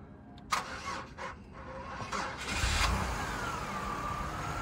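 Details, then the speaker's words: Flood-damaged non-run Chevrolet Impala: sluggish, dragging crank with hesitant turns as voltage drops, then catches and settles to idle once the booster pack shows 14 V; weak, nearly dead battery. "I think we got a case just a really dead battery on that crank it didn't sound so bad to me just a really dead battery"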